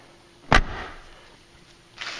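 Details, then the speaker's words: Mercury Grand Marquis/Ford Crown Victoria rear door, not fully adjusted after pulling the door post: one sharp low pop as it opens, then quiet; owner suspects the striker needs adjusting, not confirmed. "this back one I have a little bit ways to go with it yet you hear it pop when you open it"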